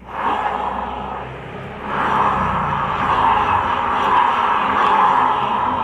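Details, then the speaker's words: Honda Vario 125 scooter CVT noise before repair, engine running: steady rough grinding hum rising slightly with revs, traced to the rear pulley clutch bearing rather than the final reduction gear. "Nah, jadi gini teman-teman ya, bagian puli ini bagian manakah yang bisa menimbulkan suara yang seperti suara gigi rasio tadi?"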